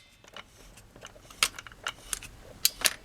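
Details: Seeburg jukebox changer under restoration, cycling into play mode as the piston drives the worm gear and the record clamp engages. Scattered light clicks and sharp ticks over a quiet background; mechanism cycles normally.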